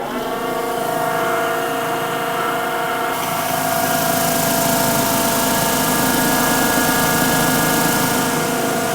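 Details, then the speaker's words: Giant GB3 vibratory tumbler, first run with the cover off after replacing the top bearing: steady rumbling whir, much quieter, but a faint rough rhythmic churn remains and the owner suspects the bottom bearing. Bearing noise. "well that quieted it up quite a bit yet um I'm now suspecting I'm now suspecting we might have to do the bottom bearing which isn't the big deal"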